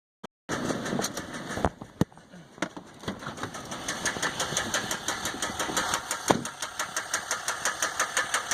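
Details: 2015 Dodge EcoDiesel with 18k miles idling with a sharp regular knock about three a second, started before second oil change; no check engine light, gauges and oil pressure normal, no power, engine shakes; cause unknown.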